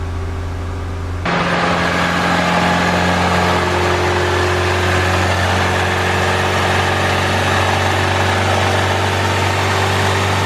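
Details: Turbo Civic with eBay turbo kit and Hondata S300 ECU, warming up after fixing an exhaust leak at the wastegate, before retorquing the turbo manifold bolts: engine settles into a steady, even idle with a smooth low hum and no puffing or ticking.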